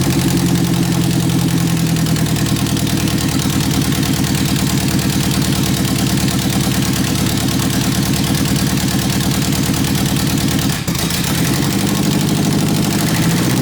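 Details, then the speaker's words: 1991 Eagle Talon TSI AWD at idle after a new fuel pump was fitted: loud raw idle through an open pipe with a steady, even chuff and no stumbling; it stuttered only when a hand was held near it; normal idle. "but yeah guys it is running the that little fuel pump is doing it just is working just fine"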